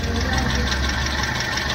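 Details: Hyundai i10 with loose gearbox mount bolt: steady idle with heavy low shake and coarse knocking undertone through the body; whole engine rocks on throttle.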